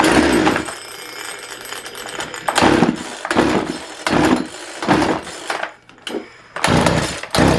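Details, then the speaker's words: Craftsman 42cc chainsaw in a very cold shop: fires in short ragged bursts with quiet gaps, never holding a steady run; fuel starvation, owner suspects diaphragms not pulling fuel, only siphon through vent. "she's not going to pull fuel through the diaphragms and run or run very well at all I would say what we're getting right now is just what siphon you'll get through the tank from the ventur"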